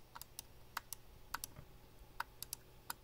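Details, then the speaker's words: Glorious Model D mouse, about three months old; sharp uneven left clicks, some with a dull doubled crunch when pressed on a certain spot, loose inside; crunchy loose mouse click. "can hear that it's kind of loose in there and it's not every click but you can definitely feel it in-game when you're playing"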